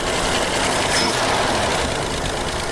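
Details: 1976 AMC Pacer, likely original engine, first start after about 20 years sitting, fed fuel by hand: loud, busy clatter with faint lifter ticking that eases as oil circulates; uneven, rough idle.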